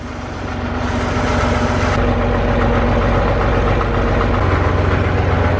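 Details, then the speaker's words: Caterpillar D7F bulldozer diesel, first start in about 10 years: deep steady rumble holding an even beat at idle with no knocking or misfire; started easily and runs healthy. "Did you hear it? It sounded amazing. Like, I really didn't even expect it to start that easy."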